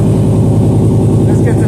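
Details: 1968 Dodge Charger AWD body swap running after a missing ground was fixed and the fuel pumps came on. A steady, even low rumble with no misses or knocks. Normal running.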